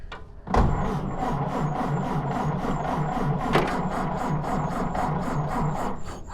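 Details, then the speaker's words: Stock 1929 Ford Model A coupe, 40-horsepower engine, first start with choke: slow even chuffing with a sharp hiss on each firing stroke from a spark plug not tight, compression blowing past it. "There's a spark plug not tight because it's blowing past it."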